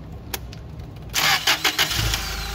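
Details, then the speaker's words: Toyota 8 Series 5,000 lb LPG forklift, imported with a long-crank hard-start problem; after adjusting the fuel system, with the injector disconnected, pressure now holds and the engine starts instantly without waiting for the slow-path solenoid: short crank, catches at once, even idle. "the pressure is being held. It doesn't wait for the slow path solenoid to turn off, and it starts up right away."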